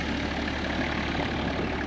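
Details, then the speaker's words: 1993 Toyota Land Cruiser HZJ77 diesel idling normally, heard inside the well-insulated cabin. It fires on the first crank. A muffled, steady, smooth idle with no knocks, then a click as it shuts off. "Fires right up. Engine is much quieter in the cabin than your standard 1HC, poverty or base spec Troopy or other global market rig."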